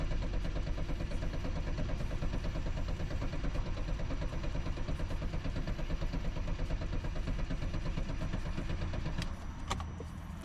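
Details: BMW M5 that smells of diesel with a wet filter, start attempt: steady cranking pulses, about three a second for ten seconds, and the engine never catches; it cranks but won't start.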